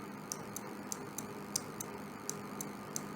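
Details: 12 V SPDT relay on a supply, switched on and off: sharp dry clicks, about three a second, over a quiet room hum, as the armature snaps cleanly between normally-closed and normally-open contacts; normal relay operation.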